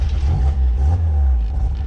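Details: $100 Mazda Miata being revived after sitting as a non-runner: smooth, low, steady four-cylinder note with no lifter tick, ticking or knocking; runs cleanly.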